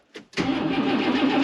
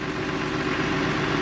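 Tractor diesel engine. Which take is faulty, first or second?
first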